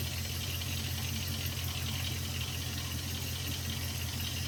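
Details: 2001 Jeep Grand Cherokee 4.7 L PowerTech V8 at cold idle: deep, dull low-end knock repeating with engine speed, only when cold and gone within two minutes; owner suspects possible rod knock, unconfirmed.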